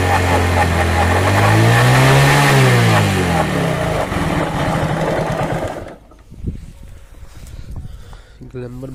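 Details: Hero Glamour single-cylinder motorcycle revving up and dropping back: a harsh, uneven mechanical clatter over the exhaust. Abnormal engine noise, cause unclear.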